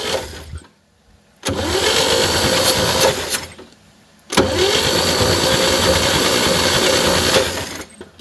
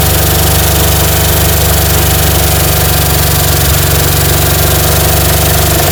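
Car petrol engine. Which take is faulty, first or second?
second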